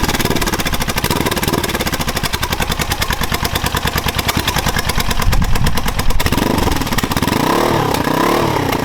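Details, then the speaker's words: Suzuki GS500 scrambler, first start with new homemade turbo headers and collector fitted, outdoors; choppy uneven idle with sharp exhaust pops and cracks, fuelling not tuned for this exhaust, carbs probably need balancing. "okay so she pops and bangs a lot you know it's going to be expected because it's not tuned to have this exhaust system on it at all the carbs probably need balancing and all sorts yet"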